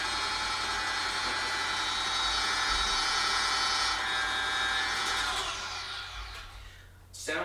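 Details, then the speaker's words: Brand-new GE G8M 5.3-quart, 7-speed planetary stand mixer on its first run straight out of the box: steady motor and gear whir, slightly rough from fresh grease settling, no knocks or grinding, then winds down; normal running. "like after some use it would probably start to sound a little smoother because i can hear fresh grease being situated around as this thing's moving"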